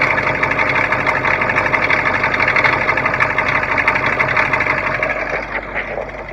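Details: Cold International T444E diesel with Allison 545 transmission in a bus, idling: sharp, fairly regular tick about three times a second over clattery background; knock of unknown origin, broke down in Utah.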